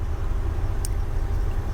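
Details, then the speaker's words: 2017 Toyota Tundra engine keeps a smooth, steady idle rumble with no stumble or die-off after the key is turned off and removed; run-on after key off. "so you you guys can see that if I turn the key off we're still running"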